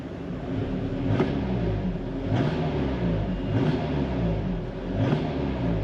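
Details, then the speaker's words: Engine with no misfires recorded on scan, blipped on the throttle: dull knock riding each rev rise, four bursts in six seconds, over rough running; engine knock under acceleration, rod bearing suspected, unconfirmed. "let's give a little gas I can hear engine noise when I hit the gas I can hear like a sounds like a rod bearing or listen very closely I'll do it again"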